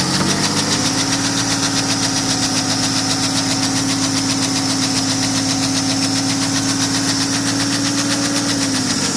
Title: Knocking noise Bmw N57D30 525d f10 cold start